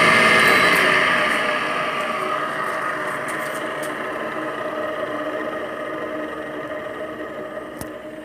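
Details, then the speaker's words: Window air conditioner taken out of storage, cover removed: steady, rough whirring hum with a faint rhythmic flutter from a worn fan motor bearing; the owner suspects water got in. "do you hear that too noisy it shouldn't make any noise too noisy"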